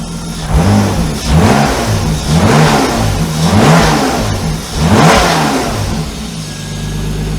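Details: BMW E34 with S52 swap, after camshaft change to diagnose an engine problem, first start after sitting two months; mic near engine. Crisp blips climbing and falling cleanly four times, then smooth even idle; some valve train noise, normal revving.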